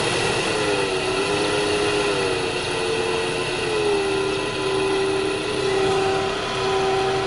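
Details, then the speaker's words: 2002 Opel Vectra C heater blower motor running loudly: steady droning hum with wavering mid-pitched tone and rumbling over fan rush; noisy blower motor, to be removed through the glovebox for inspection. "вот слышит лиза с урчанием каким-то в общем будем снимать моторчик печки"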